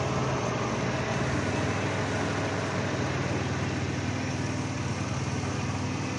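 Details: Dodge Caravan at idle with P0301: slightly rough, faint irregular stumble in exhaust beat; cylinder 1 misfire from open ignition wire forcing coil to 40 kV instead of 10–15 kV.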